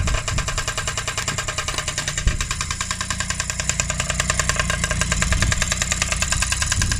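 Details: Restored Honda QR50 two-stroke running in the yard after rebuild, topped up with oil, little petrol: fast, slightly uneven crisp ring-ding popping with steady firing, holds idle fine; normal running.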